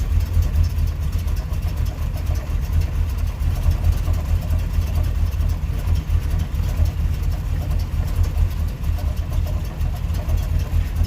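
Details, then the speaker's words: GMC Jimmy 350 V8 after carburetor adjustment, no vacuum leaks suspected; deep, even idle in gear about 700-800 rpm with mild lope, no sag or stumble, healthy idle. "not acting like it wants to die out. It's got a pretty decent idle."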